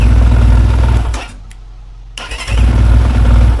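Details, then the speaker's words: Enduro motorcycle with a 177FMM single and PWK34 carb, after carb tuning and adjusting tight valves. It previously started poorly after tipping over and in gear. It catches on the first touch without choke, possibly because the engine was warm, and settles into a steady idle. Easy start. "ой-ойой що за пушка з першого разу навіть без підсоса Ні ну тут Можливо уфошка нагріла"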